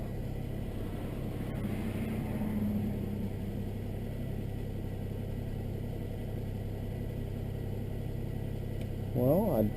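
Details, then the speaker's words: 1999 Nissan Maxima after replacing bank 1 and 2 ignition coil packs, battery reconnected, just started cold: smooth even idle with a steady low rumble dropping from cold start, no misses or stumbles; normal idle. "i don't feel any missing right now starting to come down from cold start"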